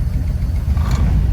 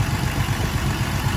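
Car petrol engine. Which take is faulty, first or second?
first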